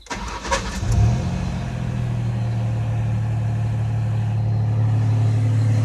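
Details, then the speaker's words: Truck with lifter tapping, start-up after a week of Marvel Mystery Oil treatment: brief crank, then a smooth even low idle with no lifter tick from the top end; normal idle. "and as you can hear there's no lifter sound thankfully"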